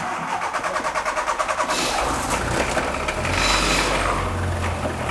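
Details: 1996 VW Golf 3, 1.6 L 55 kW, 99,000 km: engine cranks, fires, then runs with a harsh rattling whir on start-up from a binding water pump and worn timing belt, not safe to drive even one metre.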